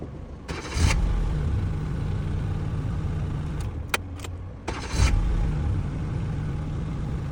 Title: Car crank No start #shortsfeed #automobile